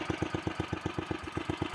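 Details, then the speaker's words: 1968 Sears Suburban 12 yard tractor with a 16 hp snowblower engine, at its set lowest idle: slow, even thumps about eight a second with no misses; very low but steady idle. "as you can see I really do have it set to idle low though I think it goes even lower not as low as I got it set to go but that's its lowest idle it is really low"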